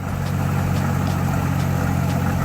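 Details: 2003 GMC Envoy 4.2 L at about 40°F after fitting the correct new alternator (charging a little above 14 V), battery disconnected: steady deep idle with no stumbling, showing a good alternator.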